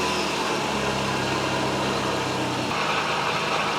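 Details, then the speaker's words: Nissan with TB48 engine, freshly serviced with new coolant and oil, first start; steady idle with a constant whirring hum over the engine note from a noisy air-con compressor bearing, otherwise running great. "So, apart from the noisy air con bearing, it all seemed to be running great."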